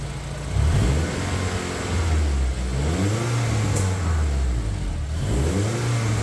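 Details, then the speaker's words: Honda K24-swapped Toyota Camry with a newly built turbo setup and full exhaust, first start, throttle blips: deep throaty rumble rising and falling with burble on overrun; cause unconfirmed; exhaust flanges found leaking. "Got a full-on burble train going off at the back. I'll change the camera angle and give you a rev."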